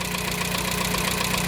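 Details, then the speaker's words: 1987 Dacia 1310 (Renault 12) at idle with temperature still low: a faint, light tapping on the engine note; crank bearings were replaced without improvement, mild knock of unknown cause. "Ăă bătaia m a neștiind ce are m a determinat să i schimb și cuzineții de pe de pe vibrochen Ei erau la cotă Standard"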